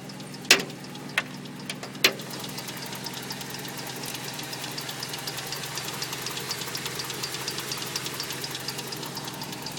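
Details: Toyota 22RE engine: fast, light ticking over a steady idle with a few sharp clicks early on; owner suspects the timing chain, cause unconfirmed.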